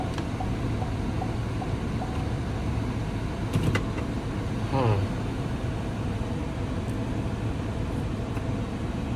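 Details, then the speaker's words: Damaged salvage 2021 Chevy Trailblazer LT, 25,000 miles, check engine and airbag lights on, AC turned off: starts fine and holds a steady, even low hum with some fan noise, no knocks, misses or surges; normal idle. "just turn off the AC starts up pretty fine no issues Idols fine"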